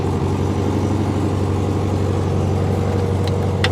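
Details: 1971 VW Super Beetle flat-four carburettor engine after the idle jet was turned out 1/8 to 1/2 turn and set with threadlock; starts right up into a low, steady burble with no misses or surges; idle later returned inconsistent; normal idle.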